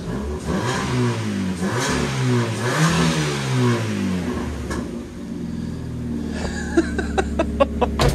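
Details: Car being moved in the workshop, revved: coarse, raspy blare far louder than stock, thought not to be a deliberate sports exhaust but an exhaust blowing at the back, not confirmed. Loud exhaust.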